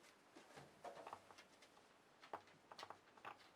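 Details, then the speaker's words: Late-1920s Jensen Type D model 4-AC radio speaker, power off, 9-volt battery touched to voice coil leads: sharp pops and crackles, coil intact and moving. Healthy voice coil pop on battery test. "I get a nice pop and crackle from the 9-volt battery"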